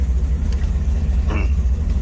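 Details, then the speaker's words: Charger (Jezebel) V8 at first fire after final assembly, up to temperature, exhaust reconnected: a deep, loud lumpy rumble at steady idle with no knocks or ticks, seemingly louder than before; normal healthy idle. "it's good to hear this thing rumbling again i think louder and i remember being with the open zoomies yeah it sounds good"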